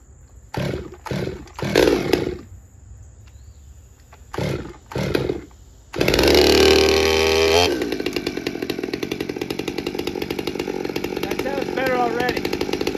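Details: Stihl MS200T chainsaw after repairs including crankcase leak testing and plug seal fix, dry-carb cold start on choke: several pull-cord rips, fires, screams briefly at full rev, then drops to an even, steady idle; runs cleanly.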